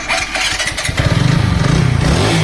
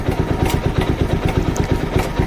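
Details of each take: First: TVS Apache RTR 200 4V after a genuine timing chain replacement and fresh engine oil. Clean start and steady, even idle with light blips, no chain rattle or ticking: normal idle. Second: TVS Apache RTR 200 4V motorcycle at 38,474 km: single-cylinder idle with a fast, light tick-tack clatter on each beat from a worn, loose timing chain.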